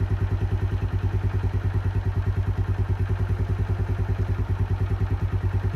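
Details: Keeway 125cc with Suzuki GN/GS engine, running after a replaced battery cured the no-start: even, low thump at roughly three beats a second, steady and smooth, no knocks or clatter; sounds healthy, normal idle.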